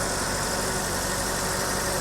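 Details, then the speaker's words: 1984 BMW 318i E30 that sat four years, after refuelling: even, quiet idle under heavy hiss, no stumbling or missing beats; the misfire from running low on fuel is gone, engine running smoothly. "she's running like a top now that I put some gasoline in her took a while to crank and get all that fuel pressure back up to the injectors she's running Tip Top"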